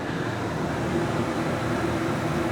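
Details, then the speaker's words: 2003–2009 Chevrolet Kodiak/GMC Topkick: HVAC blower keeps blasting at the same high speed with the key out and HVAC off, a loud steady rush of air that never changes; failed blower motor resistor (GM 12135104), fixed by replacing it. "weird thing is it's off the key is out of the the ignition no change and fluctuation and the HVAC or the AC or heat is off you guys can probably hear just how loud this blower motor is"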